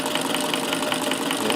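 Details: Davis Vertical Feed sewing machine converted to an electric motor on a dimmer control: even, fast mechanical patter with steady light ticking about five per second, no knocks or grinding; normal running.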